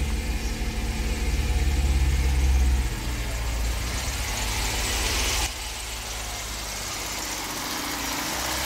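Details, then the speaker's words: Honda Civic EK hatch first start after head removal, Y8 intake manifold fitted, check light on, run about 10 minutes: lumpy, uneven idle with irregular stumble; one exhaust runner not heating, owner suspects bent valves. "look at that this one did not heat up so maybe the valves in there are actually bent"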